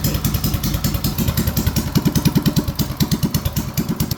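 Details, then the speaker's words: BT200X on its first test run after a 224 big-bore build with high-flow parts and a new carb: slow, low, even single-cylinder thump with a steady beat and no misses; a clean idle, though owner thinks it may be slightly lean. "Listen to how slow and low that idle is. Holy crap."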